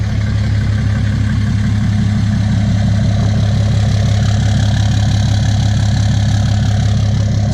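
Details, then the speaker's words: 2017 Ram 2500 Cummins diesel, tuned, DPF/EGR delete, straight-pipe exhaust, idling after an oil change; steady smooth low rumble, no knocks or misses, healthy, no oil leaks. "Okay, so it was a success. There is no oil spills or anything. No oil dripping. Truck sounds like Cummins."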